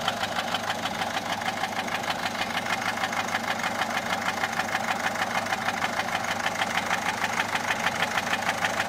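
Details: Peugeot 407 1.6 HDi 90 diesel at idle: sharp even top-end knock, about three per second. Noise began after a road drive, with slight white smoke from the rear. Mechanic suspects tappets (poussoirs) or camshaft, unconfirmed.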